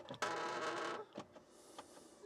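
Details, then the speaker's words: BMW after fuel filter replacement, filter dry; ignition cycled 4-5 times to prime; steady electric buzz about a second then stops with clicks; normal fuel pump priming. "So just like to turn the ignition on, let the fuel pump do its thing, turn it off, and back on. I'll just do this 4 or 5 times or so, and we'll just fire it up."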